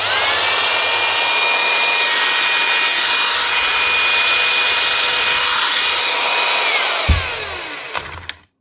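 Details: Makita HR2450 SDS drill after repairing a burnt-out motor with a new armature (517375-5): steady high whine, fine even hammer chatter, smooth spin-down on release; runs healthy.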